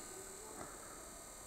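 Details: Newly replaced cooling pump, circulating water in an open, unassembled housing after the old pump was extremely loud and likely defective: soft, steady hiss with a faint high whine, very quiet and even; normal operation.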